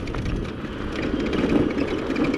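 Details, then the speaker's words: Onyx RCR electric bike, untouched by the owner since purchase: faint, irregular high squeaks come and go over the motor hum and road rumble while riding; source can't be pinned down. "okay so i'm pretty sure you guys can hear the squeaks i can kind of hear them through my home a little bit"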